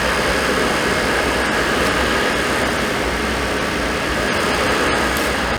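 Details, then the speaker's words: Suburban RV furnace running after the control board was reconnected: even, steady blower and burner roar, no scraping, rattle or wobble; lit right up, normal operation. "well all right there you go she lit right up sounds good smells good"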